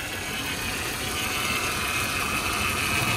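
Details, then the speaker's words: Power steering pump at idle, reservoir found nearly bone dry with burnt-smelling fluid; a steady hissy whine over a quiet idle from the fluid-starved pump, with grinding noise described before topping up. "yeah pretty much bone dry and it smells like it's burnt"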